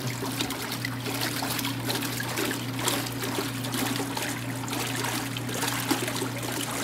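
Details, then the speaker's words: 1986 Kenmore 70 series washer being unwinterized in a garage: a steady trickle and rush of water over a low constant solenoid hum, no chatter or buzzing. The inlet valve is filling normally. "There's some of that, solenoid action going"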